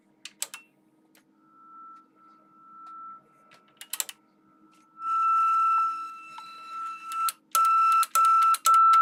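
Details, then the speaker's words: Older amplifier on test with test tone: steady high tone crackles, drops out and cuts back in as the speaker relay disengages and re-engages; amplifier itself fine, bad relay contacts a known problem at this age: speaker relay contact crackle. "the relay contacts are bad and it's causing there to be crackling and cutting out um so yeah this is a known problem on amplifiers of this age"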